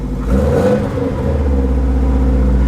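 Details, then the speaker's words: 2002 Subaru WRX wagon, almost 400,000 miles, apparently new long block, just started after battery flipped, with fuel added: strong, even rev rise and fall, smooth deep boxer note, no knocks or misses; runs really well, good air-fuel ratios, healthy engine. "Just got her started and she sounds mean. I mean, it runs really, really good."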